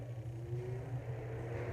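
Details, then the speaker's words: Britânia Turbo fan after motor replacement with a compatible good motor: smooth, steady low motor hum with soft airflow, oscillating, no squeaks, rattles or noise; fan running normally. "Sem barulho nenhum, tá vendo? Nada de barulho."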